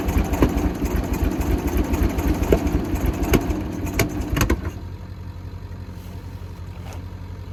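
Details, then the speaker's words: Michigan 35A wheel loader, Continental six-cylinder gas engine, sat for years, fuel primed: lumpy, irregular firing that sags into a weak, unsteady idle. It won't take off; stuck valves and low compression on some cylinders are suspected. "all right we'll had it running but didn't want to take off and go definitely think it's got a few stuck valves"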